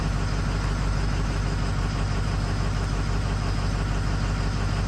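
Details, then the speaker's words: Ford F450 6.0 diesel wrecker, studded and EGR-deleted, code P0273 injector 5 circuit low/contribution fault: deep idle with uneven pulse about twice a second; no idle change with injector 5 off, no buzz, cylinder 5 dead. "no change in the idle whatsoever."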